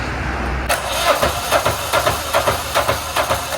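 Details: Cranking 1984 Peterbilt 359 diesel with irregular chugging at about two beats per second; no firing yet, but fuel now reaches it.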